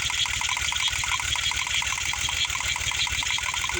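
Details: VW VR6 misfiring after getting a little water: uneven idle with a stumbling, irregular beat and rattly top end, engine missing on a cylinder.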